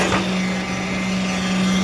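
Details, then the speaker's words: Atlas Copco electric needle (poker) vibrator, 40 mm needle, fed by a frequency converter at 47 V, after replacing the faulty switch: steady high buzz with a constant hum at full speed; running normally after repair. "देखो, vibrator की सुई अब चलने लगी है। देखो, ये शुरू हो गया है।"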